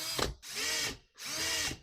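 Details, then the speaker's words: 1980 Yamaha QT50 moped speedometer spun by a drill via its cable: high whine with rising-and-falling tones over the drill motor, from dry mechanism, before lubrication fixed it. "As you can see, you can actually hear that going on."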